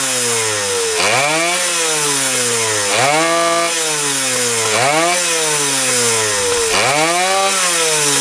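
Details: 1977 Kawasaki KE100 two-stroke enduro, first start in over 10 years, won't run without choke: revs climb and fall back roughly every two seconds, no steady idle; air screw turned in, owner suspects gas cap not venting.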